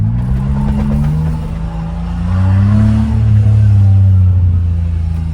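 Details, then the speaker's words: Small turbo kei car on a test drive, not yet into boost: a smooth, even exhaust note rising and settling with throttle, with no popping or rattles. It sounds and drives well. "Sounds and drives good though. Can't wait to actually get into boost."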